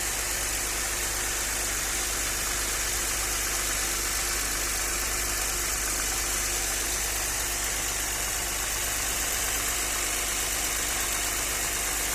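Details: Audi 100 C4 2.6 at idle: a light, uneven tapping knock rides over a hissy top end, and the owner is asking what is knocking. The source is unknown.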